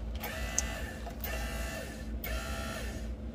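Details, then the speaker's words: Newly replaced solo bilge pump on a Pursuit 385 Offshore boat, tested by plugging it in and activating its auto float: a steady low electric hum with brief on-off cycles, smooth and even; the pump runs normally. "can hear the pump run there let's plug in our other one that was our normal one"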